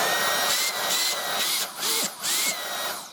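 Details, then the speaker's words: Dyson Cyclone V10 Total Clean cordless vacuum, brand new, low charge, on max setting: loud, high, steady motor whine with brief dips as it is moved, then winds down; really powerful for a cordless, normal operation at max power. "it is actually really powerful actually for a cordless. That's amazing."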